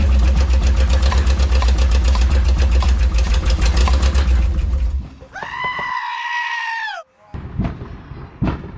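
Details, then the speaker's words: Ex-motorhome Mopar 440 V8 on a dolly with headers and an old carb, first run: loud, lumpy running with uneven pops through the exhaust beat; owner suspects ignition or electrical cause, unconfirmed. "not really sure what that popping was but it was probably ignition related or electrical"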